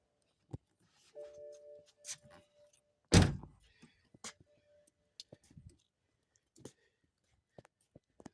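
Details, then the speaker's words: BMW 318i/328i (2008 in the title, 2018 as spoken), no-start diagnosis with a meter probing the starter's thick white wire: one heavy clunk when the starter is hit, then nothing turns over; the starter motor is bad. "See those readings, and I'm gonna hit the starter. See, it works. So starter's bad."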